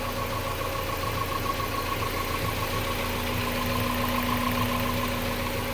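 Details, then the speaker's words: Mazda Miata after 10–15 minutes of idling with Seafoam added to fuel (1 oz/gallon) and oil (4 oz): smooth idle with a steady low hum and faint whine, lifter tick basically gone. "no perceptible lifter tic we're still going to do the intake though and we'll do Lucas Oil additive treatment once I change the oil"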